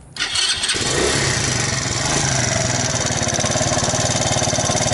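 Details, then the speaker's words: Alpha moped small single-cylinder engine, rebuilt with 110 crankshaft and piston kit, 72 head, new bearings; first start after reassembly: catches and settles into a fast idle with light quick ticking; valve tap, later fixed by removing gasket and adjusting valves. "вот теперь слышим стук клапана"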